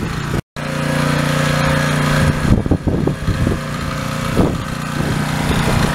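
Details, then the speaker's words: Repaired pressure washer's small engine under spray load after key work: steady buzzing pitch with brief handling knocks, running cleanly and much better. "yeah much better"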